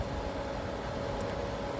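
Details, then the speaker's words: Frigidaire ice maker during repair test: quiet steady whir with constant mid-pitched hum, no rattle or scrape; cooling fan has just come on, running normally. "But this fan, I'm not sure if it's supposed to. Oh, there we go. The fan is on."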